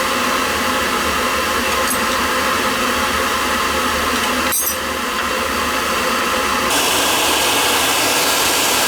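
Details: Riello oil burner on a no-heat call, refired after fitting a 0.75 nozzle (spec 0.50–0.95): a steady, even flame roar with constant fan hiss and no pulsing or rumble, seemingly running better and firing cleanly.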